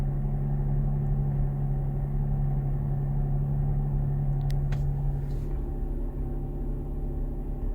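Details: 2019 Chrysler Pacifica Hybrid, recorded in the closed cabin at 61°F with the AC on level one, at both the driver and passenger positions: a steady, loud low drone and hum when the engine kicks in. The engine seems intrusively loud, cause not pinned down.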